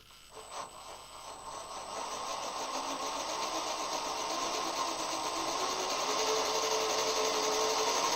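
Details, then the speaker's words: CrossRC MC8 RC truck after new bearings in both metal front axles, gearbox not yet greased, spun up: quiet even whir climbing smoothly, no clicks or grinding; drivetrain runs free and quiet. "so the both the axles are back on and I'm just gonna spin it up for you so you can hear what it sounds like"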